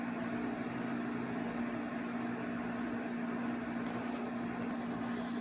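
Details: 8000 BTU window air conditioner with Sanyo compressor starting up: smooth steady hum, constant mid-pitched tone, quiet airflow, no rattles or knocking; compressor running healthy.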